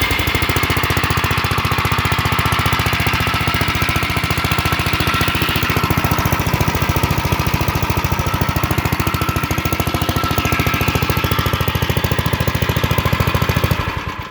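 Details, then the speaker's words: Gravely 7.6 hp single-cylinder mower, not run in years, with fresh fuel, a new battery and a replaced choke cable: chugs with a steady, even beat and no misses before shutting off. Runs healthy. "This thing is a beast. And this is a Gravely, and it's a 7.6."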